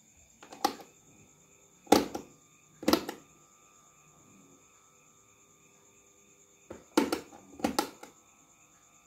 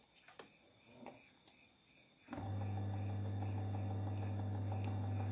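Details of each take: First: Miyako electric fan that won't spin: steady electrical hum with no rotation, windings still connected and slight movement on speed 3; shaft seized and dry. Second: Miyako electric fan after service for a seized motor that only hummed, fixed by lubrication, running on speed 1: a few light clicks, then a steady, even motor hum without wavering.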